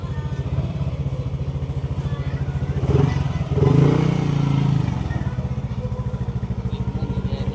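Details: Yamaha NMAX 155 V1 after ISC calibration fixed a high idle and error 37 that followed throttle-body cleaning: a steady, even low putter with no misses or hunting, a clean idle with the check-engine light cleared.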